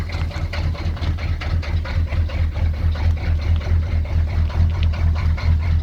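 Heavy, low diesel idle that surges and pulses about twice a second with uneven beats; the cold engine is idling rough.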